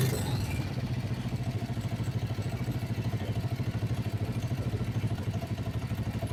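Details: Kawasaki Vulcan 500 twin, warm idle during carburettor synchronisation after valve adjustment, sync screw being set, "not too bad, almost right": steady even beat about three pulses a second, no stumble or hunting, carbs sounding balanced; normal idle.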